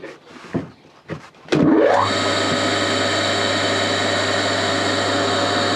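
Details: Old induction motor on a machine bought for restoration, first test run as it came, crudely wired: a few clunks, then a quick run-up to a steady hum and whine at even speed; motor healthy.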